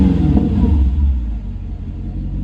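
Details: Mercedes C55 AMG V8 after warming up a few minutes following almost 4 weeks unstarted: deep, even rumble settling from a light blip into a steady warm idle, no knocks or ticks; healthy.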